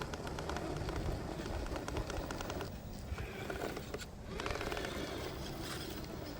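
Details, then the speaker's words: 3D-printed-foam Three Brothers RC Rock Bulls Stickies tires on an RC crawler, first drive: quick dry clicks over the motor whir as wheels turn, the tire tread catching the body shell; body needs slight trimming. "And that sound, that clicking sound is actually the tread of the tire grabbing the the body over there."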